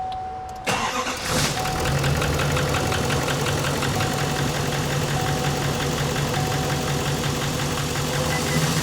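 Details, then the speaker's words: Truck with a fresh-built engine, no miles, from another shop (second rebuild), knocks right after first crank; engine catches and idles with a steady sharp ticking knock about three per second; injector suspected. "Ah, yeah. It's got a weird knock, like a tick."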